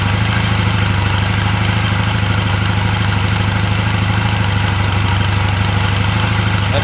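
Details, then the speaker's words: 2004 Honda Rebel CMX250C twin: new NGK CR6HSA plugs, gapped 0.024–0.028 in, gave a rough idle. With the old plugs put back it idles with a steady, even putter and evenly spaced firing, running fine. "seems better seems pretty even all right so that seems to be running fine with the old plugs"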